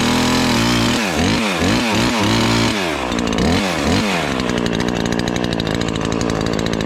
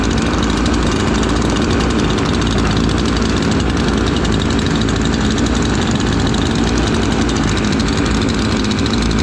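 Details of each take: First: Ported Husqvarna 543XP chainsaw, first cuts after porting: blubbers and burbles unevenly instead of screaming clean; carburetor way rich, four-stroking even under good load, main jet to be leaned. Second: Two freshly built chainsaws, a ported Husqvarna 543XP and a Cologne 843, idling together during break-in: burbling doubled-up beat, both four-stroking rich as wanted until broken in.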